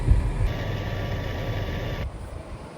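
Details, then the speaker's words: 2011 Toyota Sienna after blower motor replacement, AC on: soft, steady rush of air from the cabin blower, smooth and even, with no more of the earlier rumbling noise. "So you can see it's quiet now. You can't hear that same rumbling noise."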